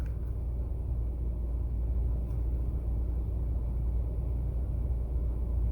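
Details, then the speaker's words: 2008 Toyota Sienna 3.5L 2GR-FE V6 at idle after replacing the failed ignition coil (code P0352, coil B / cylinder 2): quiet, low, even rumble with no stumble; engine now running much smoother, normal idle. "Alright, swapped in the new coil. The motor seems to be running quite a bit smoother."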